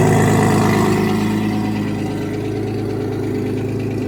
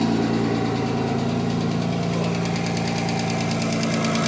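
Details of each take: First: Porsche Boxster with forged Audi 2.7T twin-turbo engine, first start in months after sitting: fast, light, regular lifter tick over the low idle rumble, keeping pace with the engine; it has not gone away with use. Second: Porsche Boxster with Audi S4 2.7 bi-turbo forged engine, after replacing a bad lifter: warm, after about a minute, smooth even idle and two clean throttle blips, no tapping. Cold-start noise, possibly piston slap, disappears once warm.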